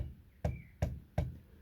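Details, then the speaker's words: 5-inch gauge Class 31 model locomotive 31327 under refurbishment: with the driven wheel locked, the other wheel still turns on its axle, giving three sharp knocks about every 0.4 seconds against the shoulder. Loose wheel on axle; owner suspects the grub screw. "If I lock this driven wheel up here, that one is still turning. Maybe you can hear it going against the shoulder."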